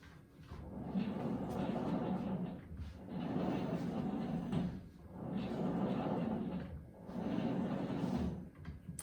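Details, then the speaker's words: Tonal exercise machine, right arm: four smooth cable pulls, each a soft rising whoosh that fades, with no screech; the left arm, by contrast, screeches, louder under weight. "will smooth no screeching sound that sounds perfect"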